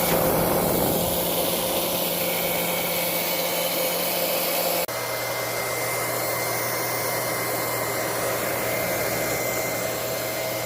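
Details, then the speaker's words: Liberty Model 331 pump after rebuild, now primed and pumping: a steady, smooth motor hum with an even whine that settles lower, no rattle or grinding; much quieter than before the repair, pumping properly. "Pumping. We'll give it a little test. Here goes, the moment of truth. She's all primed. Let's go. Much quieter."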